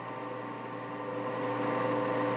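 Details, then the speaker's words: COMAU robot controller first powered from a home-built 480 V three-phase supply, brief 5 A pulse: steady whirring hum building as fans spin up, no rattle or scrape; controller fans running normally. "I heard the fans kick on the controller. So that means it's happy."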